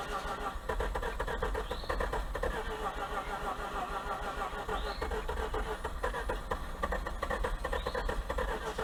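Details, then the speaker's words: 2004 Mazda RX8 rotary with a blown engine, parked for lack of compression; it turns freely with no hard spots: starter grinds along at an even pace with no firing and no rise in speed; it cranks without starting. "but i am feeling no compression like whatsoever so it's going to be interesting to see this thing start i mean that's why it's parked because of lack of compression but yeah it turns over free there's no hard spots anything like that"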